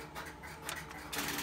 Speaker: number i answered the call and hung up and the coin would go into what would be the cash completely and i get my quarterback